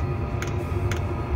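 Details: Chinese air heater (Chinasto), modified with extra safety measures against fire, exhaust routed near the end; crisp even single ticks about twice a second over low heater rumble; dosing pump pulsing normally, everything working perfectly.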